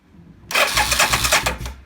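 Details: 1990 Suzuki VX800 motorcycle, no-start traced to a fuse, neutral/clutch switch wires jumped: brief crank, catches in about half a second and fires evenly; starts cleanly after fix.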